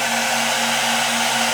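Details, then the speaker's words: Drawing about 200 watts from a platinum server power supply during a DIY PCIe meter test. Its cooling fan blows hard with a loud, steady rush and a constant low hum beneath, no rattle or wobble: normal cooling fan at high load. "We're pulling about 200 watts with this thing, and it's blowing."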